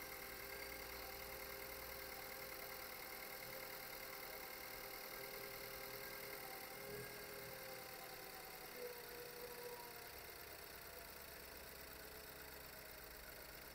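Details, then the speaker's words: Ford S-Max 2.0 EcoBoost after timing chain replacement: quiet, even idle with a steady hum and no ticking, rattle or misfire, getting quieter, with no leaks. "getting quiet and quieter no leaks"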